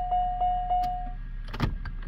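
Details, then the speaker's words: 1992 Buick LeSabre with the engine just reassembled: three chime tones and faint clicks but no starter cranking, and the security light is blinking; Passkey 2 can't read the key resistor, so it blocks the start. "Well, I got the engine all together and I was getting ready for startup, and we've got a no start condition."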